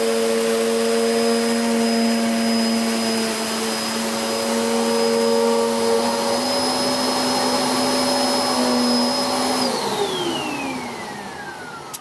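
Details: Hoover Whirlwind Pet WHS2102 001, a 2100W bagless upright from 2013 with a refitted belt, on carpet: an even, steady motor whine with a rough, aggressive brush sweep, then a clean wind-down at switch-off; normal running.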